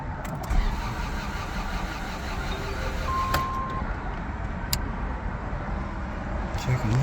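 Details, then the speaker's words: Honda Civic EF sedan after timing belt reinstall (belt had jumped two teeth): starter churns steadily for several seconds but engine never fires; owner suspects timing, found camshaft bolt loose; crank no start. "I was thinking last night about uh my why it won't start why I believe it to be the timing"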